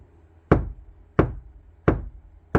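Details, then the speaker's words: Kia Sportage NQ5 facelift door tapped from the inside: four dull taps about 0.7 s apart die quickly with no boom or metallic ring and less low-frequency energy than outside; well-damped panel. "좀 더 막죠. 어 바깥쪽보다 조금 더 그 배음 저음이 발생하는 그 어떤 그 에너지가 좀 적습니다."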